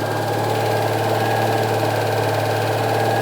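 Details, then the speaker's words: Barn-find classic petrol car with points ignition, long stored, just started on choke: steady even idle with smooth low hum, no knocks or misses; sounds really sweet, normal idle. "really sweet it sounds really sweet"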